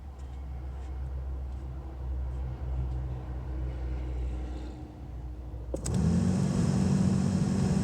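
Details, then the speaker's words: 2004 Chevy Colorado HVAC blower that wouldn't blow at any speed, after repairing bad ground connector: steady whoosh jumps in and holds at full speed, spinning evenly with no rattles or squeals; normal blower motor operation. "there it is now we got our blower motor and there's blower motor is blowing there now"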